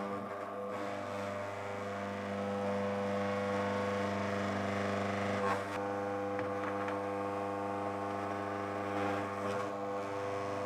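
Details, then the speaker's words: Mockmill 200 grain mill running empty: steady motor hum with faint, slightly uneven ticking as the stones just begin to touch, marking the zero-gap finest-grind point when resetting the adjustment lever; tightening further could damage the stones. "but that ticking sound is the two stones just starting to touch and when you've got that sound you know that that's as close as they can get and you're going to get the finest grind of flour when it's at that point"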